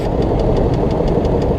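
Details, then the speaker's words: BMW X5 E53 at idle: a sharp, even tapping knock about six times a second toward the back of the engine, which appeared right after the VANOS repair; cause not confirmed. "слышен да так брякает сзади очень хорошо слышно этот стук появился как только завели после ремонта vanos of то есть не было этого столько раньше"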